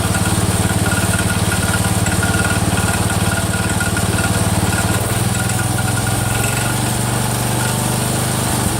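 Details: Cub Cadet 102, freshly rebuilt Kohler single-cylinder: steady thump with regular click two or three per second; front crankshaft pulley breaking apart, not the rod.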